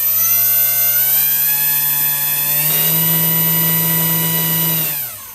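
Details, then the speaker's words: Mayatech MT5/MT10 RC motor thrust tester: steady high motor whine over a heavy low buzz that steps up with throttle; very strong vibration caused by an out-of-balance propeller. "know if you can hear that but the vibration is unbelievable the vibration is so high and obviously it's caused by the the out of balance prop"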